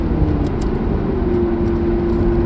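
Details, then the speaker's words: Lamborghini Gallardo LP570-4 Superleggera Edizione Tecnica V10 on a pre-purchase inspection road test: deep steady drone over road rumble under load at partial and full throttle, pulling evenly with no coughs, stutters or misfire; responsive and healthy. "Yeah, no, pulls nice. No hesitations, no coughs, no misfire or anything like that to load. Partial throttle, full throttle. Yeah, it's nice responsive."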